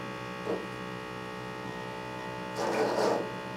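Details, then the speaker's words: Small pressure pump of an M2 X Series DTG printer pressurizing the ink bottles during ink filling: steady electric hum with faint buzz, normal operation; running too long without reaching pressure would signal an air leak. "the pressure pump runs for a certain period of time and if it runs too long without being able to get these bottles up to pressure it's facing basically letting us know that we have some kind of an air leak"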